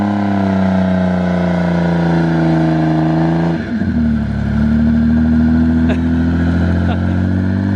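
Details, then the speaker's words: T18 drift car, after the fault was traced to fuel pressure: engine pulls smoothly up through the revs, drops cleanly and climbs again with no stumble, misfire or hesitation while skidding; now running properly. "Sounds good. Sounds like it's actually freaking running properly."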